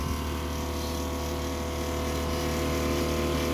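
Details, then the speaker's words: Gas water heater in a van conversion, reassembled and cleaned after many tests, cause of earlier flame dropout never understood; steady even roar with low constant hum and no sputtering, now burning normally, heating water to 70 degrees. "Et puis ben, ça marche enfin correctement."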